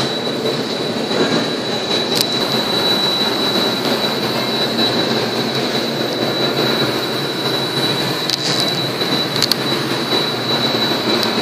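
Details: Customer's car with brake noise noticed, driven about a month and a half on worn brakes: harsh, steady scraping grind with a thin high squeal, suspected metal-on-metal from worn-out pads grinding the rotors.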